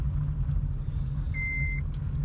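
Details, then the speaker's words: 2007 Honda Civic EX manual, moving slowly in first gear in a parking lot: low engine rumble with a clear high single-tone chime, about half a second, repeating; the unbuckled seat belt warning chime. "I'm only in a parking lot so I don't really need to but that alert will just keep going off"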